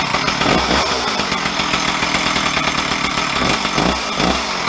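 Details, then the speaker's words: Old garage-sale Stihl 034 chainsaw, reassembled with bar and chain: loud, steady high two-stroke buzz holding revs fairly evenly; owner suspects a crank seal or vacuum leak, unconfirmed until cutting wood. "so now the other thing i can think of that's wrong with this thing is that maybe it's got a um a bit of a crop crank seal or a vacuum leak or something like that"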